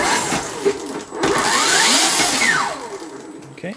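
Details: Empulse electric motorcycle after the coolant refill, started to check running and leaks: clean electric whine rises smoothly as the throttle opens and falls back off, no grinding or knocking; normal running.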